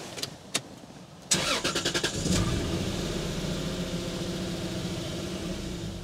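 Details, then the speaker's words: 1995 Lexus SC300, about 230,000 miles, bought as non-running: cranks, catches, then idle sags and dies within a minute even with throttle; suspected fuel delivery problem, not confirmed. "let's see if it's still going to do it now starts runs for a minute and then dies"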